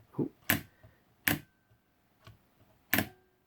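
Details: DIY battery spot welder using a solenoid relay and mounted switch for very quick pulses on nickel strip: four sharp separate clacks, each crisp solenoid pull-in with short arc snap; relay switching cleanly.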